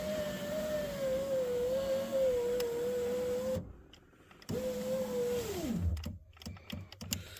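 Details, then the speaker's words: 2003 Chevy Tahoe, passenger-side power window after window regulator replacement, test run after tightening clamp bolts: smooth steady motor whine holding pitch, slowing as the glass seats. Window had been stuck down before; normal operation, repair successful. "we're going to run it up and down a couple times to verify that it is working"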